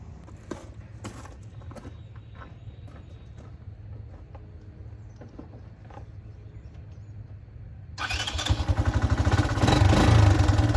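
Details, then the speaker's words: Original one-owner 1984 Honda ATC 200ES Big Red three-wheeler after 20+ years sitting, carburetor cleaned and electrics sorted: soft, even single-cylinder idle, then pulls away cleanly and rises smoothly under load without knocks or misses; runs pretty good, normal running. "I'm gonna let you guys go ahead and hear how it sounds, and then we're gonna take this thing for a test drive. So it runs pretty good."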